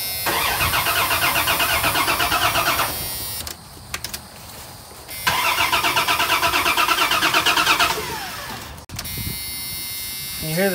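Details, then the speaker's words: Old rusty Dodge Dakota in Florida: two long bursts of steady starter cranking, engine never catching; no fuel pressure, fuel pump dead. "listen I cannot get starting fluid give us a squirt okay you can't get no fuel boys I was afraid of that"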